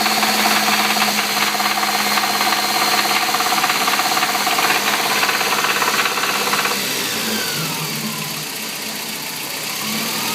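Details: Toyota 22RE engine idling with a sharp, regular metallic knock about three and a half per second, stopping when the engine shuts off; source undetermined.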